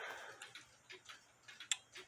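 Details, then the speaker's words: Nisshindo 100-day torsion/anniversary clock, plate 1469E, new suspension spring, via beat amplifier and external speaker: sharp even clicks about twice a second, equally spaced, clicking about 180 degrees apart; clock in beat. "and it click here so it's uh clicking about 180 degrees away from each other which I told you that's what you gotta have"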